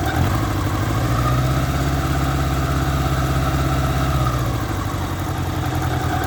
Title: Squealing noise on 1986 Honda Goldwing 1200 Aspencade